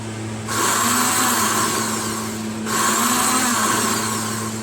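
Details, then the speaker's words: Snowblower electric starter: two short bursts of high, even free-spinning whirr with no cranking thump, pinion not engaging flywheel because the gear is seized on the shaft; fix is lubricating/penetrating oil. "While the electric start does work, the gear is not retracting to grip onto the flywheel."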